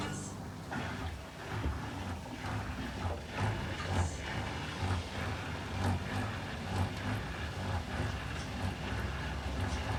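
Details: Indesit Innex BWE 91484 draining after a Rapid 30-minute wash: low, rough grinding pulses about once a second over the pump hum, which began after a face mask was removed from the filter/impeller area; drain pump fault.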